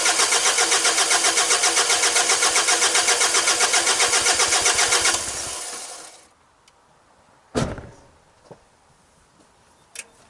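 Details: Mazda WLT diesel in a Ranger after a VE injection pump swap, pump not yet timed, injector lines cracked to bleed fuel: fast, even cranking at about four beats a second for five seconds, no firing, then it stops with a few clanks; cranks but no start.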